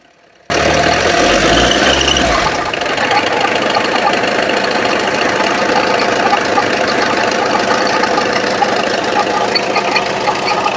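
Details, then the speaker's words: Mitsubishi Lancer right after start-up at idle, before timing belt and water pump replacement: a constant rough grinding rattle over the idle with no clear beat, from a failed water pump bearing. Water pump bearing failure. "Hi friends, sound நீங்கள் கேட்டிருப்பீங்க. Water pump தான் sound வருது."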